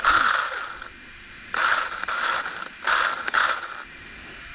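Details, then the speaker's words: Rlaarlo AK787 RC car, dual ESC and motor setup, after crash: bursts of high whirring with light ratcheting chatter, motor spinning without driving; Loctited grub screw lost, pinion spinning on motor shaft. "I lost the grub screw out of the wow, and that was Loctited. Yeah, it's just a spinning. That's why it's making all that noise."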